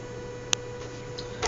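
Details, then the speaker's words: Arduino Mega2560 driving a fischertechnik motor through transistors with PWM: thin steady whine at fixed pitch, no speed change; motor whines but isn't turning. "why is this motor not working oh and by the way the other one has stopped as well by now and you hear the amount of whining"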